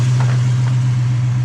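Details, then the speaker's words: 1987 El Camino after an Edelbrock 1406 carburetor rebuild with only an initial tune, started without throttle or starter fluid: fires and settles straight into a steady, even low idle with no misses, stumbles or hunting. "Didn't have to use any starter fluid. Sounds good. I was really happy with what I did."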